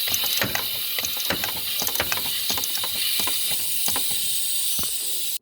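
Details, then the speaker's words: Ford 6.0 diesel F350 no-start after a 70-mile drive: shop air applied to the ICP port, steady high-pitched hiss changing with ticks as the standpipe is turned, air escaping on the passenger side past a torn standpipe seal. "so with air on the ICP Port you can hear the air change as I turn the stand pipe cuz that's where I was pretty sure the leak was coming"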